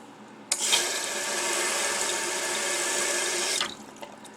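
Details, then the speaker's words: Mansfield toilet tank refilling by itself about every 45 minutes and draining empty overnight with supply off: sudden three-second hiss of water refilling with nobody flushing; leaking orange flush valve seal gasket, to be replaced. "So what's going on is this little gasket down here in the bottom, that little orange gasket, something has happened to it by"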